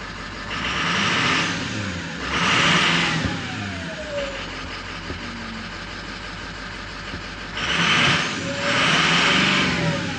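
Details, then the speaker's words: 2006 Ford F-550 6.0L Powerstroke diesel, two pairs of quick free revs after a blue spring kit fuel pressure regulator repair, pyrometer just over 200 degrees, still warming up. A clear turbo whistle climbs and falls with engine speed; strong, healthy. "So let's get a rev here, see what it sounds like. Yeah, you can really hear that turbocharger."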